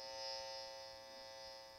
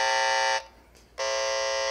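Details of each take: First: Tracer amplifier noise probe held at a plugged-in medical-grade isolation transformer: faint, steady buzz, very little leaked field compared with a noisy transformer; normal low emission. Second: CD player with its cover off: a tracer amplifier probe near the faulty power transformer picks up loud, harsh mains hum leakage, which stays bad even with the unit switched off.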